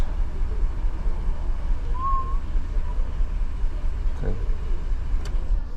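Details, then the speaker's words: 2015 GMC Yukon 6.2 V8, misfiring after the customer refueled, at idle: lumpy, uneven beat with a periodic stumble; scan data shows only cylinder 3 misfiring now, cylinders 1, 2 and 8 clean. "Ok, pero ahorita solo el 3 está fallando. El 1 no, el 2 no, el 3 está fallando, 3, 6, 7 y el 8 nada."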